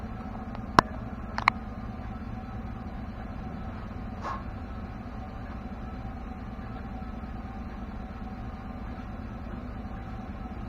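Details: 2016 Chevrolet pickup driven with the camera at a second vantage point: sharp, irregular clunks from the rear axle under a steady road rumble. After shocks were replaced for squeaks, the rear-end clunk remains, heard on sharp turns. GM calls it normal.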